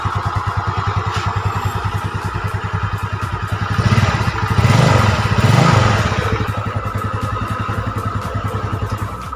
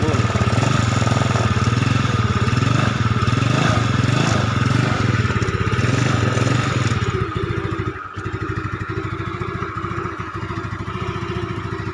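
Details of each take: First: Yamaha Mio Sporty automatic scooter, previously burning oil with leaking block and head, after repair: quick, even putter at idle that briefly lifts and settles, no knocks or misses; normal idle. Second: Yamaha Mio Sporty automatic scooter with heavy oil seepage at block and head, consuming oil and fouling plugs: engine revs then settles to a steady putter, sounds normal; oil burning not audible.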